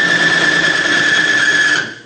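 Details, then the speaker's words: Bearing lubricity test rig in plain pump diesel, no additive, under about 50 pounds of load: hard high-pitched metal squeal over rough scraping that drops off quickly as the surfaces overheat, weld together and seize. "It's failed, I don't know if you can see that on the camera, but about 50 pounds of weight, and it got so hot between the two metal surfaces that they actually welded together and I had to break them apart."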